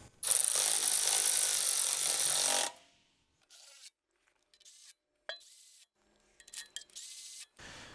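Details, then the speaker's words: 1973 Chevy C20 Custom Deluxe 3/4-ton pickup, transmission pan gasket replacement: short harsh whir of the power tool stops as the pan bolt snugs down; note change signals the bolt has seated, snugged rather than cranked to avoid splitting the gasket. "You hear that? That noise? That means it just seated."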